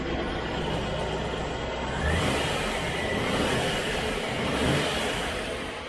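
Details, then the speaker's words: 1971 Range Rover V8 with Petronix-type electronic ignition in the Lucas distributor, which greatly improved running, under throttle. Smooth rise and fall of revs, crisp pickup, no stumble or popping. Normal revving; owner doubts the viscous fan is working. "So you can hear the engine is purring. Really is purring. And that's on the Parental system."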